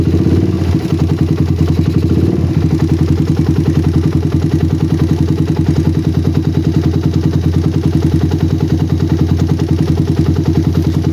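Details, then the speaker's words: Single-cylinder bike with a PWK carburetor that ran wet at low RPM, after tuning. The idle is steady and even with no hunting, and pressing the throttle slide no longer affects it. "ini saya coba tekan skap-nya ya dan udah enggak ada pengaruh ke langsam sedikit pun guys ya"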